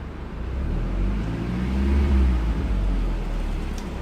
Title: misfires